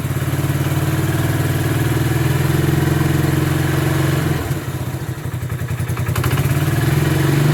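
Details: Bombardier Quest 650 ATV idling with the side cover off after a new Gates G-Force C-12 CVT belt was fitted. A steady, smooth low thrum with one brief dip that recovers cleanly; engine and belt drive normal.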